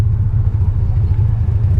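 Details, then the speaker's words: Rough, low, uneven idle at the first stoplight on a BMW 325xi E46 AWD bought from auction, engine note sagging and surging as if about to stall but it keeps running; booster pack hooked to the trunk-mounted battery. "First stoplight, is it gonna die? Sounds like it's gonna die."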